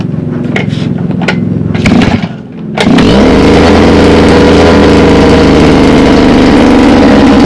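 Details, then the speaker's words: Mini water pump engine, two-stroke running on petrol-oil mix, hard to start: after a few sputtering tries it catches and races at a steady high rev that cannot be throttled down to idle; cause not yet found. "Sekali hidup membandang, dan nanti kita coba hidupkan ya guys."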